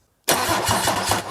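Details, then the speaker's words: Mercedes OM606 diesel with newly fitted Dieselmeken mechanical injection pump; fast cranking with uneven firing attempts but no start, air still coming from the pump, battery tiring, no black or white smoke; sounds improving. "Väsib ära veits juba aku. Õhku tuleb ka veel pumbast. No juba paremad hääled on veits."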